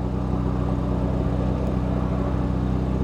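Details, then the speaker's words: Porsche Macan S at an insurance auto auction: fires right up into a steady, even low idle with a smooth rumble and no knocks or misses; sounds really good. Normal idle. "Fires right up. Sounds good. Actually sounds really good."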